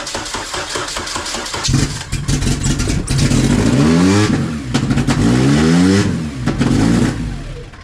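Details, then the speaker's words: Honda Civic wagon on first start with pump gas, stock injectors and an ultra race intake manifold: engine catches but revs keep hunting, rocks hard, with a backfire; manifold vacuum leak suspected, bolts found tight. Idle surge. "Damn, your motor rocks like crazy, bro. >> Is it just firing? >> It sounds like it was like a >> It was like a high rev backfire. >> It's searching for sure."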